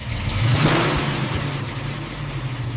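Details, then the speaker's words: Rusted barn-find Ford, stripped and rebuilt, at its first start after restoration: engine catches and revs smoothly with a strong, even exhaust note and no knocks or misses; sounds healthy. "Almost quit twice, didn't. Then, it fired up."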